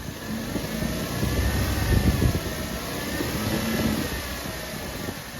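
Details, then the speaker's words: Running engine with a faint, wavering rough whir above the engine note from a failing tensioner pulley bearing, heard by pressing a screwdriver against the tensioner like a stethoscope. "have a listen to the end of the screwdriver you should be able to hear the failing bearing through the screwdriver like a stethoscope"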